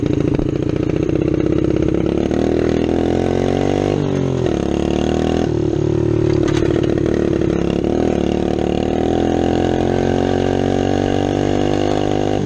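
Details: 1972 Honda SL70 small single-cylinder motorcycle project: fast, light idle buzz with a few throttle blips, picking up cleanly; normal running.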